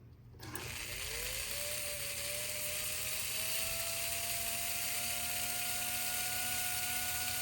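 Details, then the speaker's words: 1954 Lionel 6250 switcher: a click, then the small electric motor spins up into a steady high whine with a faint gear buzz, running normally. "Yes, we have a dirty unit, but we also have a running motor."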